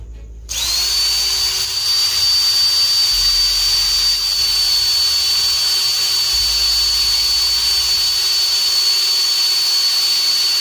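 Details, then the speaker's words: Rewound RS-550 12 V DC motor from an NRT Pro DC 330 cordless drill, run on a 12 V battery: fast spin-up to a steady, very high whine at about 22,000–25,000 RPM, smooth with no grinding; normal high-speed run. "so it's more or less around 23, 24,000 or 25,000 RPM, friends, OK, so that's pretty fast for a motor dynamo size like this"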